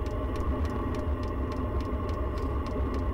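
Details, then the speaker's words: Newly installed diesel air heater under the bed in an ambulance conversion, at startup ramp-up: steady low combustion roar with a crisp tick about three times a second from the dosing pump; running normally, blowing warm air. "got more mare coming out I can hear the engine I can hear the combustion it changed the sound it's running yeah"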